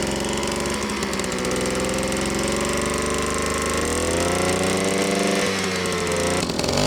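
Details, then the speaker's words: Old moped, 5 years in a barn, old fuel, after replacing the spark plug and slightly adjusting the carburetor; steady two-stroke buzz with a rising even note, no misfires or stumbles; normal running. "Problem solved. So, yeah. Problem solved. So, actually what like I told in the beginning, usually it's the spark plugs on these old mopeds."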